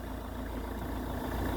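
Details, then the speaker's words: Ford Kuga Mk1 AWD 2.0 TDCi diesel (replacement engine), after auxiliary drive belt replacement: smooth even idle, steady low rumble, no clatter or knock; rattle gone, fixed. "oh whoa whoa whoa no noise [Applause] there we go job well done"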